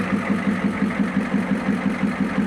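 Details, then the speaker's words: 1994 Ford F-Super Duty dump truck, sat for years, first start with air cleaner off: an even idle of about five beats a second with no misses. Oil pressure is good, with a little smoke. "Oh, yeah. It's a running. We got oil pressure. She lives."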